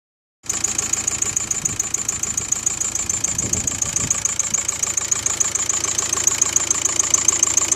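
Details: VW Golf 5 TDI 105 diesel at idle after the camshaft and tappets were changed: a new steady, sharp ticking about 3.5 times a second appeared; cause not pinned down.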